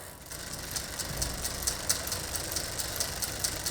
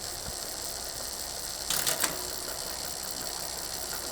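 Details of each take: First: Bicycle rear derailleur being adjusted, H-limit screw tightened half a turn: quick, even ticking rasp while pedaling, excessive noise as the chain rubs the next inner cog because the high limit screw is too tight; harmless to the drivetrain. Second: Bicycle rear derailleur after indexing adjustment, shifting up one cog at a time: smooth drivetrain whirr with a brief clean shift click and no excessive noise, rubbing or chatter on any cog.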